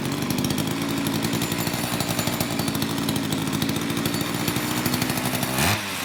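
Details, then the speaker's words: Old Craftsman two-stroke chainsaw after long storage with a gunked carburetor, cold in a shop of high 50s to low 60s °F, mixture screws untouched; fast even burble at steady idle, no misses or surging, good compression. "it's idling well it's really cold in my shop right now I'm probably low 60s high 50s so it's it's going to take a little bit of time to warm it up but it's running fantastic I mean it appears to have excellent compression it's got a good throaty pop"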